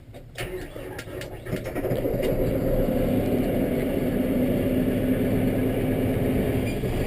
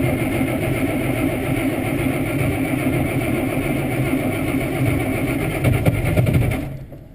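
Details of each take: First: Kubota M7 diesel tractor, cold start on a mid-20s morning after glow plug warm-up: brief crank, catches, builds to steady even clatter without stumbling; normal diesel cold start. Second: IH 1086 diesel tractor cranking on a mid-20s morning with snow, fresh 30-weight oil: slow, laboured cranking for about six seconds without catching; thick cold oil makes it hard to crank.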